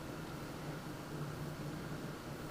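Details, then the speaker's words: NZXT Phantom 410 case stock fans set to medium on built-in fan controller: even airy hiss with faint low buzzing hum, gone at highest setting; faulty fan controller noise. "and now I'm going to set it to medium fan speed seems be to be producing some sort of weird noise in"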